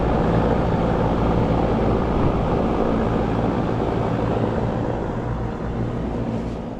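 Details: 24-year-old Carrier heat pump outdoor unit that was not cooling, after fixing the non-turning condenser fan motor, capacitor and badly burnt contactor: steady, even hum with a low drone and smooth fan rush, no clicking, chatter or grinding; running normally.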